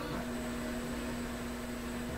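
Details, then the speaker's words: McIntosh MR71 tube FM receiver on mono, tuned between stations: a steady low hum under even hiss, source unknown; the owner suspects a fault in the receiver's front end. "I hear a hum in between"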